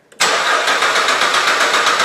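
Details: 2008 Suzuki XL7 3.6L towed in, crank/no-start with P0335 stored: steady, even cranking that never catches. The crankshaft sensor signal is present but weak, with peaks under 2 volts, pointing to the crank sensor circuit.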